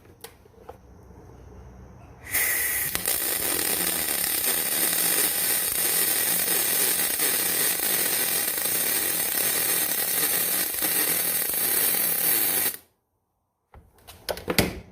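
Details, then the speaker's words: Millermatic 212 with spoolgun welding aluminum, feed rate set back to preferred setting: about ten seconds of steady, even frying-bacon crackle with no pops or sputters; properly set, normal weld. "i like that a lot that sounds pretty good"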